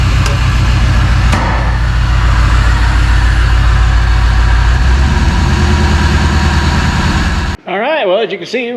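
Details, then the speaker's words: 1999 Vortec 454 7.4 swapped into a 1985 Chevy C10, first start: rough, uneven idle, stumbling beat, popping out the exhaust, a couple of driver-side cylinders not firing well; misfire traced to injectors stuck open and shut. "it's popping out the exhaust and we got a couple cylinders on the driver's side that are not firing well"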